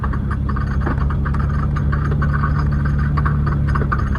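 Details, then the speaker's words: Camaro driven for first time since 1989 after brake work, low gear: lumpy, uneven engine beat wavering instead of steady; won't idle at all and stalled once, cause not identified. "Uh, it's pretty sketchy though cuz it doesn't like to idle like at all."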